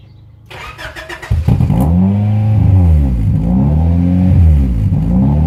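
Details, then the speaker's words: Honda Prelude H22 before intake manifold gasket replacement: after starting, idle keeps climbing and dropping about once a second, constant now though at first only at startup; surge from a vacuum leak. "as you can see the idol does not stop bouncing this it is really annoying originally when I first got the motor it actually only did that I start up"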